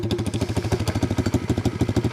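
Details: 1982 Honda Z50 with newly swapped-in Lifan 125cc 4-speed engine, tank not yet plumbed and possibly low on fuel: quick, even single-cylinder putter at about twelve beats a second, steady and quiet with no knocks or rattles; healthy idle.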